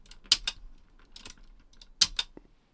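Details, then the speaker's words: JVC 9415LSB radio cassette mechanism after servicing and cleaning, tested with a tape before new belts are fitted: play, stop, fast forward and rewind give crisp clicks as the keys latch and snap back cleanly; the mechanism runs freely. "I'll just make sure that the mech is running freely now so I'll just drop a tape in there just to get the mech working play stop fast forward and rewinder working nicely it's snapping back in really"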